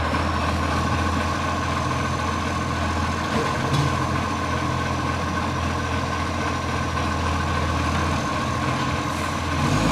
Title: Brisbane Garbage 707 | Exhaust Leak